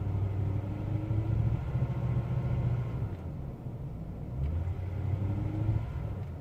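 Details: Engine misfire: a low rumble with an uneven, stumbling beat that never settles; owner suspects a weak fuel pump, not confirmed.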